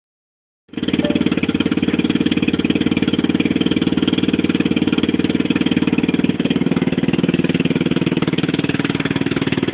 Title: Loud noise coming from 150 cc scooter